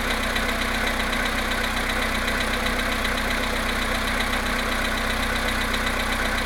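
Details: VW Polo Sedan engine at cold idle, +1.5°C, after standing 19 hours, 17,937 km; light regular tapping knock about four per second over the engine hum, cause unclear.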